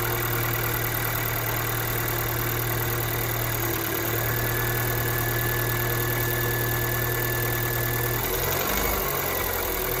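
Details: Kia Ceed 2nd generation 1.6 engine on cold start: rough idle with uneven knocking tapping over the engine hum; cold-start knock, cause not yet known.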